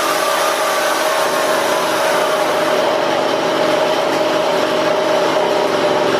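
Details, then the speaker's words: Husqvarna 235e/240 chainsaw being carb-tuned by ear without a tachometer, held wide open: a thin, steady high scream with no burble or flutter, because the high-speed needle is turned up too lean; backing it off brings the flutter back. Lean high-speed mixture. "I hope y'all could hear that in that exhaust it's really hard to explain that to somebody but there's all you turn it up you'll hear that thing lean way out and that flutter will go away when you back it off you'll hear it come back"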